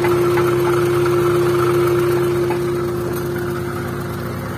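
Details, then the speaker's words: First-generation Honda Brio at idle with AC on: steady droning hum over the idle from the spinning AC compressor, disappearing when AC is switched off and returning when on; rough compressor pulley bearing suspected. "Ketika kompresor AC dia berputar, dia kasarnya. Dia kasar seperti itu. Kasarnya ada di kompresor."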